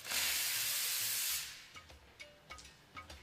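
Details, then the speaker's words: Espresso machine steam wand purged before heating milk: a loud, even hiss for about a second and a half, then it cuts off. A normal purge clearing the steam arm. "So, when you're heating your milk, always remember to purge your steam arm."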